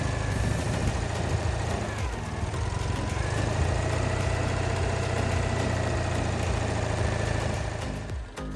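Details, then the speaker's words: Citroën 2CV flat-twin after tappet adjustment, new engine mounts, new points and timing set: an even, low chugging tickover under background music with no misses or tapping. Idling smoothly. "Ticking over beautifully."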